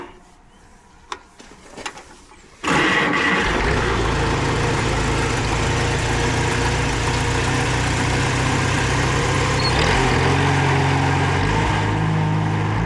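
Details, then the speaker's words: Farmall Super A tractor, previously surging when not under load, now running on an aftermarket carburetor: catches after a few cranks, then settles into a steady, even beat around four per second with no surging or misses; runs smooth. "I hope that you can hear that one's running pretty smooth."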